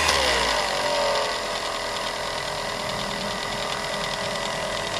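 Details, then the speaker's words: Revere 85 movie projector after oiling with sewing machine oil; motor whir drops in pitch as the clutch engages the drive, then holds lower, struggling under load; cause not confirmed. "seems to slow down when I kick it in gear that's not a good sign"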